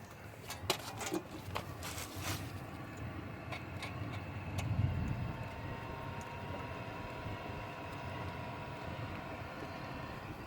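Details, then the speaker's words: Diesel heater modified to run on waste oil, controller cable extended with network cable; steady, even low burner roar with faint fan hum, no surging or popping, barely any smoke, controller still at 0 bars; normal running. "And as you can see, there's barely any or no smoke at all. Now let's have a look at the controller. We're still at 0 bars, but I can hear the flame burning."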